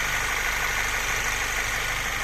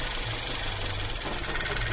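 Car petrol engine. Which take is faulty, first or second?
second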